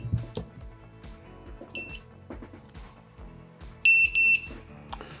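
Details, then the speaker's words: FPV drone standalone lost-drone buzzer (5 V, ground) sounding after battery disconnected: short piercing high beeps in bursts over light handling noise; buzzer works properly. "Voilà, là il sonne. Ok, j'ai désactivé, c'est bon, le buzzer autonome fonctionne très bien."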